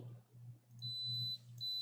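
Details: Two clear, high, steady beeps over a faint low hum from a multimeter's continuity tester, heard while checking a Nintendo Switch board; the continuity beep is sounding properly.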